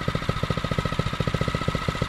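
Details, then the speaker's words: Phatmoto Rover 79cc single-cylinder motorized bicycle idling hot after an off-road ride: crisp, even putter with no misses or rattles; idle judged fine, no adjustment needed. "that sounds fine to me considering it's nice and hot now yeah that's good"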